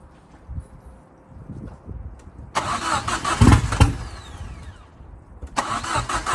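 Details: Ford Fiesta RS Turbo restoration, first start: uneven bursts of cranking with no catch; fuel pump primed but owner says not enough fuel coming through. Cranks but won't start.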